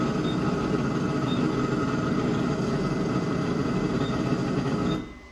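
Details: Anycubic 3D printer, about a year old, homing. A steady, harsh grinding rasp for about five seconds as it struggles to reach home, then cuts out; owner suspects the height (Z) axis motor or the end stop, unconfirmed.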